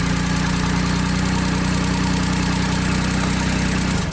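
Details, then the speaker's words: JLG scissor lift small engine with a new sensor set 1 turn out: instant start, then steady, even idle about four beats a second with no misses, shuts off cleanly; good crank signal, healthy running. "And start her up. Instant start. Nice signal."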